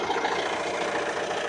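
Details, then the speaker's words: Renault Trafic 3 R9M diesel van, warm idle after about 10–15 minutes following a timing chain replacement: a steady, even idle with no knocks, ticks or misses, sounding perfect, smooth and healthy. "I'm happy with that, and it is sounding perfect."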